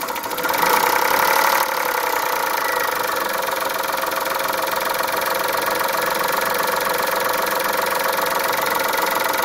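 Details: Chrysler Stratus/Cirrus after timing belt change, warm start on full E85 in cold weather, cold coolant just added after flush: warm idle with an uneven ticking knock over the engine hum; knock from inside the engine.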